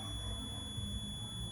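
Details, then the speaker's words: Gooseneck desk lamp rocker switch KCD1-101 (250VAC 6A/125VAC 10A); multimeter continuity test on 10A terminal gives steady high-pitched beep when switched on, nothing when off: switch continuity confirmed. "And once I flick the switch, now, which I did, nothing. But once I flick the switch back on, get a reading."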